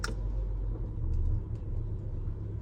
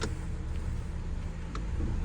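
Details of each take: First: 2019 Ram Promaster City at idle in reverse: low, heavy droning rumble and loud vibration from a bad rear lower engine mount; quiet in park and neutral, loudest in drive, engine jerks back and forth. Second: 2019 Ram Promaster City after replacing bad rear lower engine mount that caused vibration and jerking when shifting: even low rumble, only light clicks, no shudder; engine no longer jumps, vibration about 90% less.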